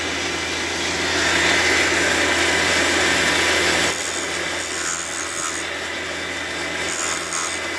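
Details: Fordson E27N engine valve job, refacing a valve at about 44.5 degrees with the coolant on: steady, dry rasping hiss with no chatter as the stone lightly cuts the valve face, a normal light cut.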